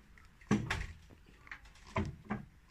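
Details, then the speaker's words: Exercise spin bike, rear flywheel rocked side to side by hand (not the crank arm): a few dull clunks from horizontal play of the whole flywheel; flywheel lateral play knock. "就是这个后面这个转轮，这个转轮它不是这个曲臂晃动，曲臂它是晃动的，而是这个整体的这个转盘它会左右，就是水平方向它会移动"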